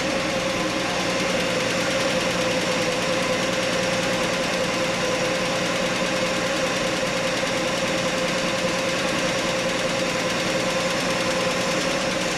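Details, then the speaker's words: Straight-six Chevy Nova idling: steady idle with a light, fast tick still riding on top; owner suspects a lifter tick, possibly present all along. Valve train tick from loose rocker arm. "There's still a tick there. It could be a lifter tick now."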